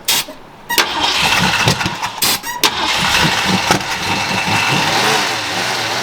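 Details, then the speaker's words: 1968 Mustang after new fuel pump hose/fuel line, system dried out from storage: uneven cranking with a couple of false catches, then fires and settles into a rough but steady run; hard start after long storage. "Okay. I mean, we got a new fuel pump. I mean, fuel line. Everything is just dried out. We're trying to cycle things through."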